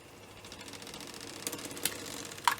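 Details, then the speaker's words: Electric fan vibrating and shaking abnormally after its broken blades were replaced with a different set: quiet, fast ticking rattle with sharper clacks from unbalanced blades; fix is balancing the blades. "compartir con ustedes la solución que podríamos darle a un ventilador que genera mucho ruido vibra mucho se sacude después demasiado fuera de lo normal"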